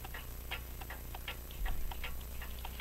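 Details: French clock with crystal regulator and open escapement with jewel-like pallets, possibly Vincenti, just put in beat (a spring still needs replacing): an even tick-tock at roughly 2.5 beats per second with evenly spaced beats.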